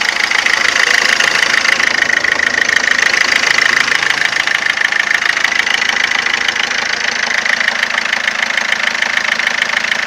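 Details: 2007 Ford Fiesta 1.4 TDCi 69hp diesel at idle: a sharp, regular metallic ticking knock at about 200 per minute throughout. Abnormal engine knocking, cause unknown.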